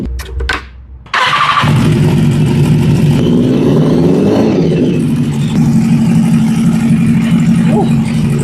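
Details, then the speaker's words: BMW S1000RR K46 inline-four that began sounding like a tractor after a 1,200 km ride. A cranking burst, then a ragged idle with a missing beat. Header heat showed cylinder 1 cold; swapping the coil pack made it hot, so the misfire is from a failed ignition coil. "So now cylinder number 1 is getting hot, whereas it was cold, and we've swapped over the coil pack. So the problem is our coil box."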